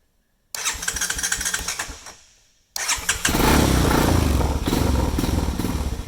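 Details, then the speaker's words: Honda Recon 250X ATV in neutral on a little choke: starts and runs ragged with surging revs, idling only with slight throttle and dying when let off; gummed carburetor. "So if I'm on the throttle a little bit, guys, it'll idle. But as soon as you let off the throttle, it'll just kill out."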